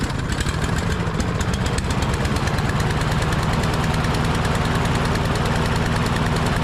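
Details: Husqvarna LC 221A push mower with a Briggs and Stratton engine, which sat over winter and would not start, after its carburetor was cleaned: it runs at a steady, even speed with a consistent beat and no misses or surging. Normal running.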